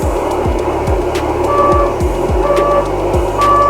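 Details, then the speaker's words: Electric unicycle under hard acceleration at speed: three steady high limit-warning beeps about a second apart over wind rush before the wheel cut out and tilted forward in a crash. "so I see three beeps before this thing starts to uh teal uh or tilt over"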